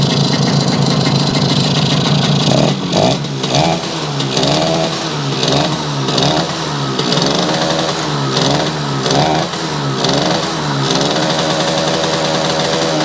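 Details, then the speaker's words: Yamaha YL2C 100 Trailmaster two-stroke, premix drained for straight gas, condenser not yet fitted: an uneven, burbling idle with throttle blips, a bit lazy and rich-sounding while cold, starting to clear; the carb still needs readjusting. "Still running a little rich, but of course it's cold. Now what we've got to do is go back through the adjustment here, but I can't do that today, so we'll do that another time."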